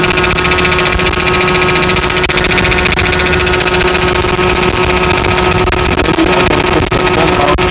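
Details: 1999 BMW 5 Series, running engine with steady buzzing whine of several fixed tones; abnormal noise, source not yet found; blower motor not working, EWS disabled.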